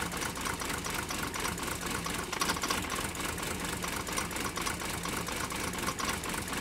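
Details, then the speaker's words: Mercedes 123 diesel "Digby", cold idle after starting: uneven lumpy clatter and irregular knocking; still running rough and smoking a lot, cause not confirmed, EGR valve under discussion. "as you get here Digby still running really rough now I know a lot of you talked about how the fact that well it's just a rough sounding diesel engine"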